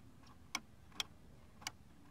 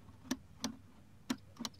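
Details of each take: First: Hedge-trimmer handle safety switch during a Stihl HS81R/Husqvarna checkup, pulled straight up with no resistance felt: four clean, sharp single clicks over a quiet background, no scraping or drag; normal safety-switch click. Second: Hedge-trimmer handle safety switch, other side, during a Stihl HS81R/Husqvarna checkup: it holds until the last second, then snaps in, giving four sharp isolated snaps; it still activates but is sticking, and the owner plans to grease it.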